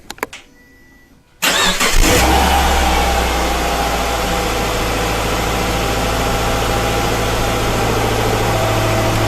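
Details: 2007 Subaru Forester with intermittent rough running and misfire check engine light, after checking fuel rail injector leak: brief crank, catches cleanly into smooth, even idle, no stumble or misfire, no leaks.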